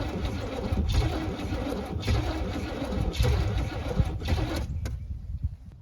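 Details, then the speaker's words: 1978 Camaro, cold start at 16°F with no choke and a damaged Demon 625 carburetor, ether used: heavy, labored cranking with a few weak pops that never catch; cold no-start. "so even with ether couldn't get anything going fired a couple times but wouldn't catch"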